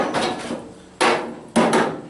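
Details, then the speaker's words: Massey Harris 81 tractor sitting about 15 years, fuel tank rapped before a first start attempt: three sharp raps ring hollow with no slosh; tank is empty, bone dry, with turpentine-smelling residue. "sounds like it's empty we'll take pop's fuel gauge here that he's had for years bone dry man"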